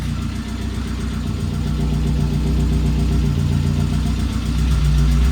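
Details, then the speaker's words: 1988 Saab 900 Turbo, long unused, just restarted: steady low idle with a faint puffing tick about four per second riding on it; owner says it definitely has an exhaust leak and also suspects lifter tick; unconfirmed. "but i think this is lifter tick and i really should check the fluids as well but yeah that does not sound too good it's definitely coming from up here though"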